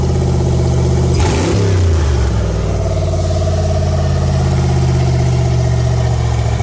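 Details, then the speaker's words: Fox body Mustang V8 at its first start in 18 years, with a borrowed thermostat, no upper radiator hose yet and no oil pressure reading, which the owner thinks is the sender. The deep rev falls back to a heavy idle, loud from an unwelded exhaust joint. "the reason it's so loud is skate down there right now i got to bring it to the exhaust shop to get that uh welded on"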